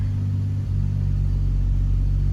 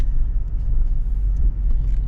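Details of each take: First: 2005 Chevy Trailblazer with a misfire code that returned after new spark plugs: low idle rumble with an occasional uneven stumble, a random intermittent misfire at idle; seems not compression related, suspected coil, spark plug or injector. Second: 2005 Chevy Trailblazer with a misfire that returned after new spark plugs, after repair: low even rumble, smooth quiet idle with no misfire felt; check engine light off for now.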